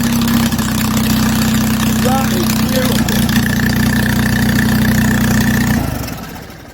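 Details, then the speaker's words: Onan flat-head twin generator set, after fettling and possibly low on coolant, starts easily on the button, then runs clean and steady with no misses or knocks and winds down smoothly at shutdown; normal start and idle. "i can't believe how easy that started you see it live on camera"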